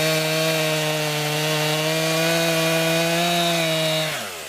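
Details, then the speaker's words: New 50cc chainsaw, about ten pounds, cutting wood from a skidded pile on a cold day: strong steady high-rev snarl holds even through the cut without bogging, winds down cleanly. Owner finds lots of power for 50cc; normal cutting. "well folks my first impressions is it has a lot of power for only fifty CC and it cuts pretty good for sure"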